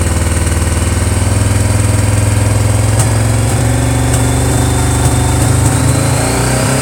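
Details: Honda PC800 motorcycle revving: engine stumbles and pops unevenly above about 2600 rpm instead of pulling cleanly, a misfire at high revs; owner suspects faulty pulse generators.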